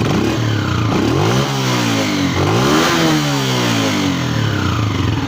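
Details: Honda CG125 2025 model, 5483 km: thin crying whine over the single-cylinder exhaust note, rising and falling with revs; faulty cam gear found after opening the cylinder head, before replacement.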